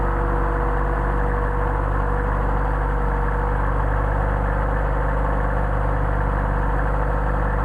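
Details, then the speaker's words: 190SL with Solex carbs, cold start on choke after sitting about a week, ambient about 65°F, not yet warmed up: steady, even low idle with a smooth, unbroken beat and no misses or knocks. A healthy cold start. "okay we're going to switch on I'm going to choke and we're going to see how they things well they start the ambient is that about 65 degrees out not bad for sitting for about a week"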